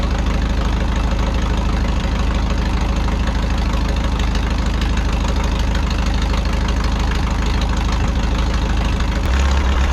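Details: 1951 Farmall M tractor with sputter and hesitation, after homemade spark plug wires: steady low, heavy idle with a dull knock riding the firing rhythm. The cause of the knock is still not found.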